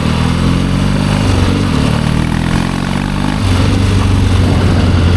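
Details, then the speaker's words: 1972 Triumph Bonneville 650 twin, revived after sitting roughly ten years; a loud, steady twin-cylinder beat during a ride-by, with a slight lift in revs partway and no misfires. It sounds healthy and runs good. "Yeah, this thing runs good. It's gonna be all right. Super happy with that."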